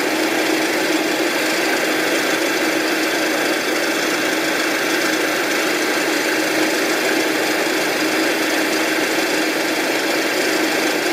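Steady engine running at idle with a dense, even clatter over it; an abnormal knocking noise, but nothing points to a cause.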